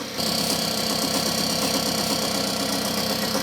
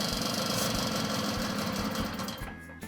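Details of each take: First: 1979 Puch moped two-stroke, warmed up, sprayed with brake cleaner at the intake manifold to check for air leaks: steady even idle buzz with faint spray hiss, no stumble or speed change; intake seal sound, normal idle. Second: Puch moped (1979 test bike), two-stroke, carburettor deliberately loosened and sprayed to test for air leak; rapid chatter stumbles and dies within seconds as false air at carb joint leans it out.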